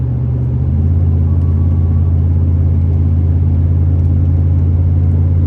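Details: 2005 Chevrolet Silverado 3500 dually 4x4, 8.1 L V8, Allison automatic, 26,000 miles, pulling steadily uphill under load: deep, smooth, even V8 rumble with no knocks, ticks or whine; healthy engine under acceleration.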